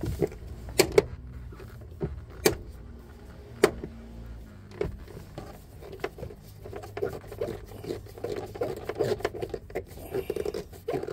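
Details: Infiniti QX80 SUV door after the popping-hinge fix (10 mm bolt removed, 1/4-inch rubber washer fitted at the moving part): door swings and latches with only light clicks, no pop.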